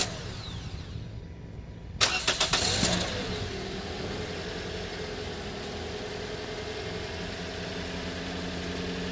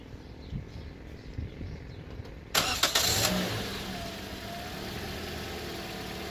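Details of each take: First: 2014 Toyota Corolla LE 4-cylinder, first start right after fitting a new battery: a second or so of uneven cranking chugs before it catches and settles to a smooth idle. Delayed start; the ECU needs time to power up after a battery change. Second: 2014 Toyota Corolla LE 4-cylinder with new battery replacing a 3-year-old one that caused hard starts: quick crank catches at once into a smooth, even idle, restarted to check alternator voltage. Normal start, no hesitation.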